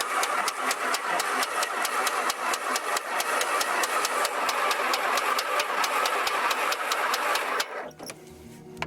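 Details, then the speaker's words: 1949 Beechcraft A35 V-tail Bonanza, unstarted about 7 years, primed with a few pumps: steady starter chugging about four beats a second for nearly eight seconds, never catches; cranks but won't start, owner assumes spark issue. "she's not quite wanting to. Sorry. Let me talk check the top plugs real quick."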